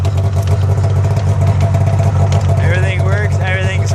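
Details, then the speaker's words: A liquid-cooled Polaris Indy snowmobile runs after its track slider was fixed with a nut, bolt and Loctite and the track was tightened. It gives a steady low drone with an even beat and no clicking from the track or suspension. It sounds healthy and quiet. "quiet everything sounds like it's working"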